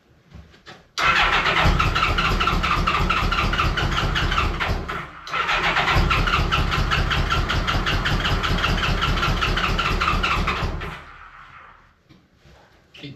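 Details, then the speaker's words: Honda Goldwing GL1200 after cylinder gasket oil leak repair, first start on reassembly: long crank, then lumpy, uneven running on two cylinders; carburettors suspected. "It does eventually start. It doesn't sound great."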